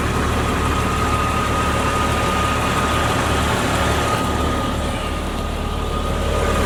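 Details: 2001 Jeep Cherokee Sport 4WD engine idling: smooth even low hum, no ticks, knocks or puffing; headers and header gaskets quiet, no oil leak, original front clip; muffler has a small hole said to be inaudible.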